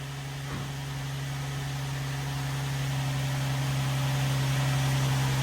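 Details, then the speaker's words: 2004 Nissan 350Z just after fitting new OEM-spec fuel pump, cam and crank sensors, started after priming: smooth, steady low hum with even beat and no stumbles; normal idle. "there we go. It took a little while to prime it through, but she's running."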